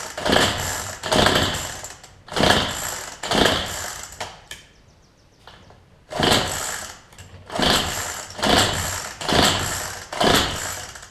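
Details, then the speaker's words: Cheap weedeater pull-started repeatedly, about once a second, sputtering but never running; no spark seen, plug suspected, hoped to be only the plug. "you see where it tries to start a couple of times but ya don't seem your spark come out of it see we know at least the plug is an issue and we hope it is only the plug"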